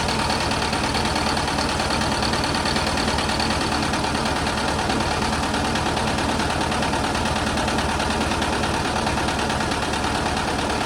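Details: VW bus with Brazilian air-cooled flat-four, Solex H30 PIC carburetor, camera close to engine, after mixture and idle-speed adjustment to cure stalling at junctions: steady, even idle with a clean beat, no misses or hunting; mixture set right.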